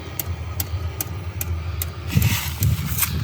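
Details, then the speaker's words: 5kW diesel heater installed externally in a motorhome's outside locker, with its own fuel tank and boxed pump, ducted into the Truma blown-air system. A steady low rumble with soft, regular fuel-pump ticking; running normally. "Can you hear that? That's that diesel heater working. Steve's fixed into the van, so next winter, if we are off grid, and even if we aren't, we'll still be toasty warm."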